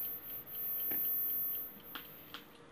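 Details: DIY Geiger counter with STS-5 tube (SBM-20 equivalent, ~400 V, beta/gamma/X-ray sensitive) held near a weak test sample: a few sparse, irregular clicks, about three in three seconds, over quiet hiss; low count rate, barely above background.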